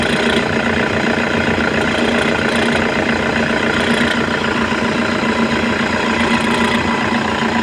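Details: Toyota at steady idle with a constant whirring rattle at about three to four beats a second from a worn alternator pulley: bad alternator pulley.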